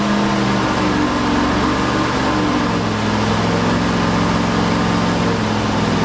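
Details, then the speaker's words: Ford 360 FE turbo V8 in F100 during cam break-in: loud, unsteady running with wandering pitch, hard to start, timing never set right, overheating; timing chain likely jumped, retarding timing, pistons likely hit valves. "It must have jump time and that's probably why this thing was so hard to get running and ran like absolute and it didn't seem like we could get the timing right at all."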